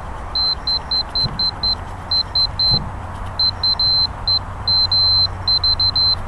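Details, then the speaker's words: Throttle position sensor wide-open-throttle switch (top wire on plug) checked with a continuity meter: short high beeps in quick bursts each time throttle reaches wide open, showing the switch closing normally. "it's easy to check see you just put your continuity meter in there like that when the thing goes wide open"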